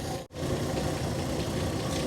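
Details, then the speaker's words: 1969 Chevy C10 half-ton long bed, freshly revived, now warmed up with thermostat opened; steady even low rumble after a brief dropout, no knocks or misses; normal warm idle. "Run it long enough to see if this thermostat opens. Still water right now. >> All right. All right. All right. Must have opened up. This is supposedly hot."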